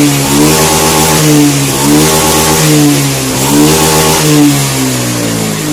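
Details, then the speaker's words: Honda Scoopy fuel-injected scooter that had stumbled on initial throttle, after repair (spark plug and fuel checks, throttle body cleaning, manual ECM reset, TPS adjustment): clean blips rise and fall smoothly with no hesitation; normal revving. "n motor Honda apa bit scoopy injeksi ya scopy injeksi ini yang berebet ketiga digas awal nah sekarang aman ya tidak ada masalah"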